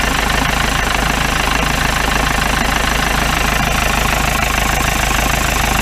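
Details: 1953 Mercedes 170D (W136) four-cylinder diesel, once-seized restoration project, at idle from the rear "business end": loud, even clatter about three knocks a second over a rough idle; owner suspects worn injector nozzles.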